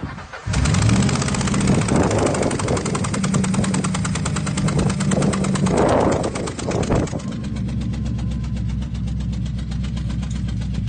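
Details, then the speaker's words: 2001 Mustang Bullitt, 2-valve 4.6L V8, started after sitting for months: cranks and catches into a lumpy idle with sharp rhythmic puffing on one cylinder; suspected blown-out spark plug, not confirmed. "so the main thing that sticks out is the puffing sound and so basically I said sounds like it may have blown out a spark plug which is common especially if you've replaced them sometimes if they're tightened down a little too much it can pop them out"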